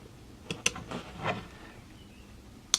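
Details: FWB 65 air pistol, reassembled with some parts replaced, cocking test: a few crisp clicks as the side lever is worked, then a final sharp snap as the ratchet and sear engage properly.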